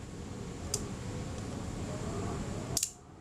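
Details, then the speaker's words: Kodak Retinette type 022 shutter during servicing, fired at 1/15 second: two crisp clicks with no real delay; slow speeds run fast and need adjustment. "happens if we release the shutter it's find out that sound a little bit fast to me so I need to test that"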